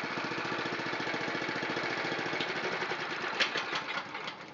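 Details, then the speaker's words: Honda GX270 on a NorthStar water pump after carburetor cleaning, started with a little choke at full throttle: quick even exhaust pulses settling and quietening as revs drop back to a smooth steady idle. "Let's fire it up. Fuel's on. A little choke. Ignition on. I like to use full throttle with choke. There's a nice idle. And back to a nice idle again."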